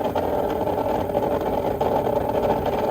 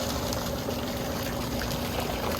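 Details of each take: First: Old above-ground pool pump converted to pond transfer pump, no filter: steady motor hum with buzzy midrange, no water rush; pump running dry, needs priming. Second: Old above-ground pool pump converted to pond transfer pump, no filter, after priming by filling it directly: strong steady rush of water over even motor hum, no gurgle or surging; pumping normally.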